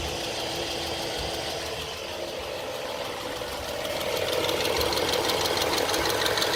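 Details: BMW F10 535i petrol engine idling with a weird steady rapid ticking on top that grows louder partway through; abnormal engine noise.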